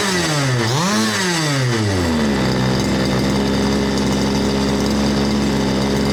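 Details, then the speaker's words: Fifth-scale RC Baja two-stroke engine, second of seven from Australia and of unknown age, running after a minor repair rather than a full rebuild: it blips up cleanly and drops back to a smooth, even ticking idle. Normal idle and revs. "So it runs very smooth. You can hear the thing ticking over, tick, tick, tick, tick, tick. You rev it up, whap, tick, tick, tick, tick."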